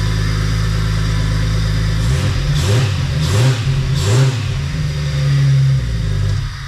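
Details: 1998 Jeep Wrangler after engine install, struggling traced to a bad crankshaft sensor now replaced; engine catches after cranking, takes three quick throttle blips cleanly and settles to a steady idle, sounding healthy.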